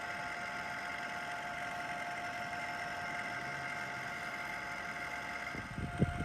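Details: Package air conditioner that has made abnormal noise for a long time: a constant whirring hum with a fixed mid-pitched whine from the failing indoor fan motor, which was replaced during cleaning.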